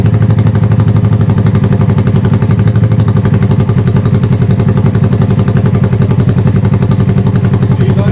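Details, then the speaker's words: 1971 Honda CB350 twin, first start after full top-end rebuild with oil flow fixed, avgas/low-lead mix, likely needs rejetting: loud, even exhaust pulses, steady idle just over 1,000 rpm on both cylinders, no knocks; normal idle. "Alright guys, she's idling just over 1,000 RPM. Sounds good, it's loud, firing on both cylinders. That sounds really, really good."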